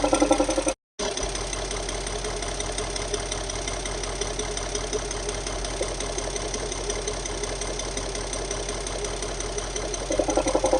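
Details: Audi A8 D3 4.0 V8 TDI (ASE) diesel idling with loud rhythmic metallic tapping; pulsing pressure at oil filler cap, VCDS shows cylinder 8 deviation +1.98 mg/str; suspected lifter, timing chain/tensioner or leaking injector.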